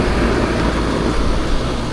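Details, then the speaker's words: Packaged AC unit after replacing a damaged capacitor: compressor and fan start and run with a steady, even low rumble and airy rush, expelling warm air outside; normal condenser operation. "ahí sí se escuchó El perdón del compresor ya trabajando"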